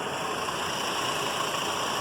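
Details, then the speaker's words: Fiat Fire engine at idle after oil pump replacement (faulty gear had caused a whine; water pump and belt also replaced): quiet, even idle with soft steady hiss, no knocks or ticking; running smooth and silent. "belo aqui após a substituição da bomba de óleo motor silencioso rodando liso bonito que embaixo"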